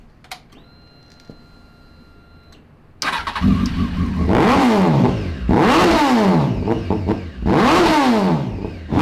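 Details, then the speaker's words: 2003 Honda 919 motorcycle engine, before swap into a cross kart: starts after a pause, repeated throttle blips rise and fall lazily about every 1.5 s, black smoke not clearing; running rich, bad coolant temperature sensor suspected. "i hope that uh the richness doesn't uh affect it well i mean why is it that rich"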